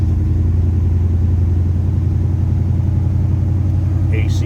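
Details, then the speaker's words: 1969 Chevrolet C10 with bored-out 454 V8, 2913 miles, engine and trans recently gone through: deep, even rumble at raised idle just after start, no misses; healthy fast idle. "you can hear the snark that engine has down off the higher idle nice little rumble to it now sounds good"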